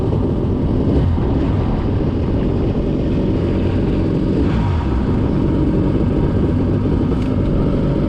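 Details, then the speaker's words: Refurbished 1989 Jet Mate with a new, bigger motor, started on the water after smoking at startup: an even, steady low rumble with no misses, knocks or surging. It is idling well. "I think it's idling good."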